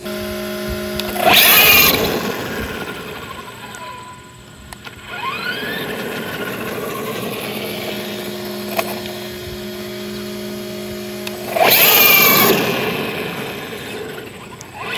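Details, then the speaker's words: Arrma Granite RC truck with cheap Amazon slipper clutch and brushless system: motor whine surges and bogs with buzzing chatter and heavy cogging as the slipper clutch slips; needs tightening, or clutch plate possibly worn out. "so that sound is the and we're getting crazy amounts of cogging but it's the sound is the slipper clutch just doing that so I got to figure out how to tighten it"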